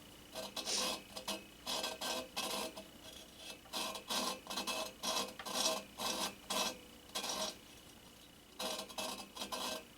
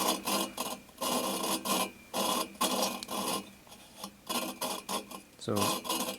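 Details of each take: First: 1974 VW Super Beetle cylinder head, valve being lapped by hand with grinding compound: short gritty rasping strokes, about one a second, on a seat not yet finished. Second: 1974 VW Super Beetle engine head, valve lapping by hand: gritty back-and-forth rasping in short bursts, grind softening and smoothing as valve seats; near complete.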